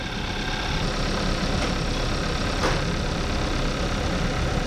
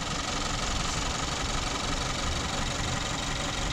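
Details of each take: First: 2014 Kia Forte after ignition coil replacement for P0301 cylinder 1 misfire: even, steady idle with faint injector ticking, no stumbles; feels way smoother and no longer misfiring. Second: 2014 Kia Forte, P0301 cylinder 1 misfire, check engine light, shaking: uneven stumbling idle with dull irregular thump about three times a second; hard misfire at idle.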